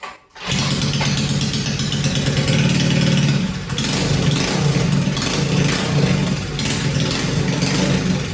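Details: 1971 Go Devil Model 104 mini bike, Tecumseh HS40 single, revived after long storage: catches after a couple of pulls, runs loud and uneven with surging revs; throttle linkage may need attention, carburetor condition in doubt.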